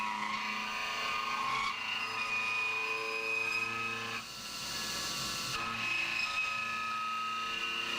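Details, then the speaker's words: CNC cut on an AR15 gasblock, variable width up to about 1/8 inch deep, spindle lowered to 1700 rpm: steady high singing cut with only occasional faint chirps; much less chatter, normal milling cut. "then i bump it down to 1700 and see how that sounds i think it sounds better still a little chirpy here and there but much better"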